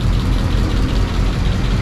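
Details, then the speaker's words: 1937 Ford panel truck, flathead, started after sitting with low battery and barn dust, slightly smoky, suspected running rich; deep steady low rumble with even beat, no knocks or misses: normal idle. "She's a little smoky. I think this thing runs a little rich, actually. Sounds good though."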